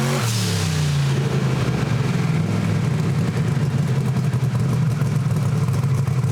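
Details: Camaro engine, warmed up, on the two-step during a low-power dyno pass: heavy, low, steady drone that never climbs in pitch, held around 3,800 rpm; bogging under too much dyno load.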